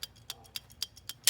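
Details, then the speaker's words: Amal carburetor from a vintage Norton motorcycle, shaken by hand on the bench: light regular ticks about four per second from the float flopping inside, showing the float is free and not stuck. "That's the float flopping up and down. That tells you that your float is free and not stuck."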